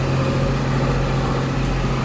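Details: John Deere 4755 side-exhaust tractor, driven on the road at speed after a complete Powershift transmission rebuild, top speed 30 km/h: deep, steady diesel growl with an even low drone, no knocks or misses; normal running.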